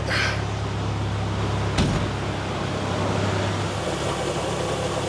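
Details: 2002 Nissan Xterra that stalled on the road and sat for months, start after distributor install and battery charge: it catches and settles into a steady, even low idle with no knocks or misses; engine still cold.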